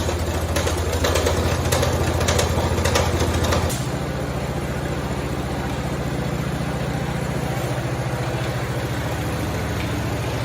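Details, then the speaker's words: 1969 Cub Cadet 105 single-cylinder engine after reassembly: even thumping at fast idle settling to a steady lower beat; no hammering now that the pulley no longer hits the crankshaft, though a worn belt was knocking earlier. "man that sounds a lot better now since that pulley's not hammering on that crankshaft"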